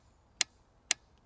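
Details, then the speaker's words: Evinrude E-Tec 75/90 outboard on a Brig Navigator 570, microphone placed at the injectors during diagnostic testing: two crisp, even clicks from injector number one, sounding the same as the others; normal injector firing. "third and a very similar sound in all of them. That's always good."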